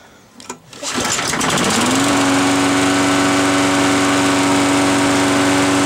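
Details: Briggs & Stratton edger that wasn't running; the carburetor and gas tank were cleaned and the carburetor rebuilt after it ran rich and fouled the plug. A few pulls, then it catches and settles into a steady, even high-pitched run with no stumbling. Normal running.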